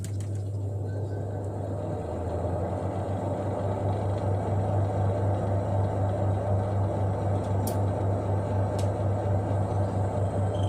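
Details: Twin-tub washing machine spin dryer after the shaft bolts joining the spin shaft to the tub were tightened to cure its squeak: a steady low motor hum with a smooth rhythm and no chirp; running normally.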